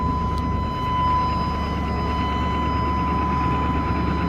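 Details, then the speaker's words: 1997 Chevy Tahoe 5.7 Vortec, about 234,000 miles, after fuel pump replacement: strong steady high whine over low rumble at prime; old pump whined only faintly and engine sputtered above 3,000 rpm; now normal. "You can actually hear the fuel pump now. You could hear it whine a little bit before, but not like you're supposed to. It was pretty faint."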